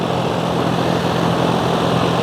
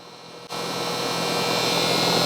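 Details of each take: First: Home AC condenser after a new contactor was fitted to cure a loud buzzing noise, on its retest: steady fan whoosh and an even low motor hum with no buzzing or chatter. Normal running. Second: Home outdoor AC unit turned on at the thermostat to cool; runs but gives a steady high-pitched buzz that holds until shutoff; buzzing from the contactor, which was replaced to fix it.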